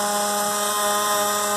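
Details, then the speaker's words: Faucet being closed very slowly after fully opening: loud steady buzzing hum with ringing overtones as the tap trembles, a chatter at low flow; later cured by a small repair. "vou fechando ela bem devagarinho vocês vão ver que ela vai começar a fazer esse barulho"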